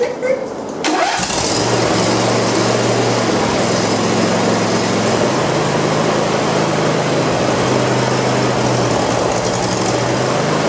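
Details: Donated John Deere LA140 lawn tractor, previously not running, after clearing junk from the bottom, on a test run: short crank, catches at once and holds a steady, even idle hum with no misses or knocks; normal start and idle.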